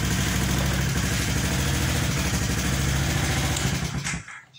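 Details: Honda automatic scooter after the weak double-starter circuit was rewired to ground: the small single starts, idles with a steady, even putter and no stumbles, then shuts off cleanly; healthy running.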